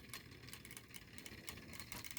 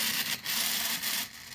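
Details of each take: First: 3D-printed Newman pulse motor, smaller prototype about 40% scaled, at 2.3 volts: quiet soft ticking pulses a few times a second over low hum, still turning steadily; normal running at low voltage. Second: Smaller (about 40% scaled) 3D-printed redesign3dp Newman pulse motor prototype running at 7 volts with no bearings; dry hissy scraping that surges and fades as it winds down, the floating rotor rubbing its housing with nothing to centre it.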